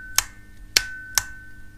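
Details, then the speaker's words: Mobility scooter 24 V electromagnetic brake with disengaging lever, bench tested: four crisp clicks about two-thirds of a second apart as the brake micro switch snaps on and off, popping out correctly on freewheel. "can hear it clicking on and off it is important that is a freewheel so that we switch pops out"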